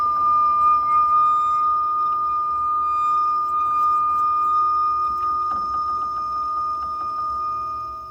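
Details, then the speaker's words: Ideal Logic gas boiler under 4 years old, running: steady high-pitched whistle at one pitch over faint burner roar, intermittent then cutting off; cause not confirmed, venturi and injector found clean, but gas checks showed the boiler was dangerous. "turn up to this one the fault's a noisy boiler makes a whistling noise intermittently let's see how it goes"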